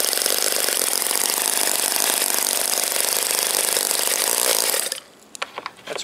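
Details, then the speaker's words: OS Wankel model rotary engine on Omega 5% fuel with extra castor, 10x4 APC prop, high-speed needle 2.5 turns open: buzzy rasp runs about five seconds then cuts out; idled fine until glow igniter was reattached, suspected cause; engine dies when running. "it was idling fine until I put that igniter on so let's try this one more time"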